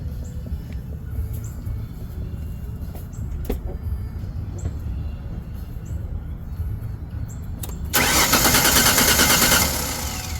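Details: Ford Sport Trac no-start, cranked while watching spark tester: quiet wait, then about two seconds of quick even cranking that never catches; spark and fuel present, crank-no-start.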